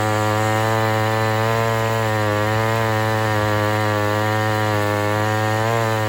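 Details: Homelite Super XL 923 82cc chainsaw with compression release, after tuning tweaks, final test cut: strong steady high-revving two-stroke drone under load, no bogging or surging; running perfectly.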